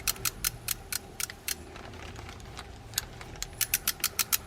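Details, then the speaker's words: Mitchell 408 high-speed spinning reel, in for a pre-season tune-up, cranked by hand: sharp light clicks in quick runs, about five a second. Line wrapped around the rotor was suspected first; the click is likely from a stuck bail trip lever hitting the post. "that's something clicking and that it shouldn't be clicking well one of the things might be that we have a lot of line wrapped around here"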